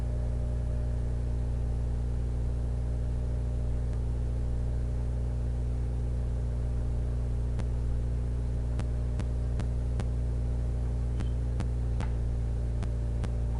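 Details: Xbox with a Fellowship of the Ring disc that has only minor superficial scratches: a steady low spinning hum with scattered, irregular faint clicks as the drive reads endlessly and never loads; cause unconfirmed.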